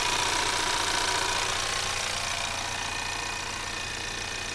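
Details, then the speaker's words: 2024 Ford Maverick XL AWD 2.0L EcoBoost, warm, at lower idle, microphone near the alternator: light steady ticking, a few a second, with a fine hiss; normal EcoBoost idle. "okay now also keep in mind there is a highpressure direct injection fuel pump that's going to be approximately in this area from what I understand so again these are all normal sounds of an ecoboost engine EcoBoost got to love it"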